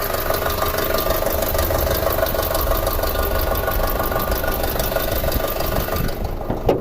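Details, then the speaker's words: Long-sitting 2006 Audi A4 2.0T with codes P0300/P0303, cylinder 3 misfire; rough idle with uneven metallic metal-on-metal knock about ninety-odd per minute; mechanical issue suspected, compression and intake pulse tests planned, unconfirmed. "So guys, what I'm thinking about doing is, since it has this nasty rattle, I think I might do like a relative compression and then maybe an intake pulse, because it definitely sounds like a mechanical issue."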